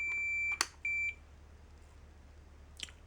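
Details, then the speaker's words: Fluke 10 multimeter continuity beep-test, automotive fuse testing: two short high beeps, then silence at 100 ohms. The beep threshold is roughly 100 ohms, like the Fluke 12, so a beeping fuse is only under about 100 ohms. "right about 100 ohms it cuts out. So just like the Fluke 12, the beep threshold on the Fluke 10 is roughly 100 ohms."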